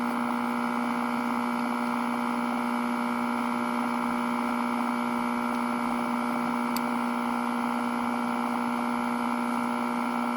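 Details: 1941 Crosley B36-BS battery-operated DC farm radio on a battery eliminator, during servicing with a non-original output transformer: loud steady low hum with buzzy overtones.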